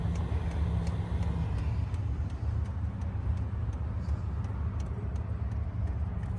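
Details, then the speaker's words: HCalory TB2 Toolbox 2 diesel heater, hardwired to a battery box, just after first startup: blowing but not hot yet, low steady fan rumble with light regular fuel pump ticking; normal warm-up. "It's blowing, but it's not hot yet. I don't know if you can hear the ticking on this."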